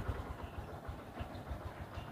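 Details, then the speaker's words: 2012 Yamaha Byson motorcycle, over 7 years old, about 63,750 km, cold start just after an oil change to car oil (Pertamina Fastron Techno 10W-40): quiet, even single-cylinder idle with slight light rattling, judged not a problem; normal idle. "Jadi kira-kira seperti ini suaranya. Sudah mulai ada suara gemericik-gemericik ya. Tapi it's okay, gak masalah."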